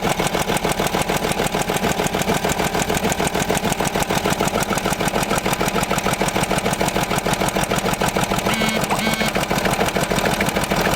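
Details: Land Rover Discovery 3 2.7 diesel, about 280,000 km (presumed), eni i-Sint 5W-30 oil: hard steady knock about three per second over idle, gradually increasing; rod knock from spun bearings.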